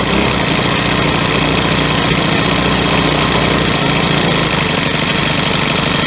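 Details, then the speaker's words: Troy-Bilt four-stroke weed eater with a replacement carburetor and new spark plug, running on fresh gas after yellow-tinted stale fuel was removed. A loud, steady buzz without stumbling or cutting out; running evenly now. "Now the gas in the filter looks a whole lot better Doesn't have that yellow tint the old other old gas had okay now let's give her a run and see if she sounds any better"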